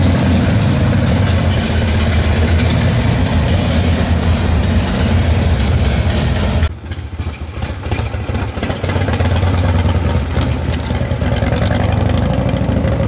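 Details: 1995 Harley-Davidson Wide Glide Evo 80 CID V-twin after installing Total Seal gapless piston rings, warming up: a lumpy idle that briefly softens mid-way, then settles to an even beat. It runs better than before. Normal idle.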